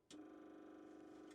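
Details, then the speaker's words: CAT 613C military scraper that sat for years, fitted with a new fuel pump and filters, key switched on: steady faint electric hum with a high buzz starts abruptly, holds, then stops; fuel pump running normally. "Running. >> Is that the one back there we added? >> Sounds like it."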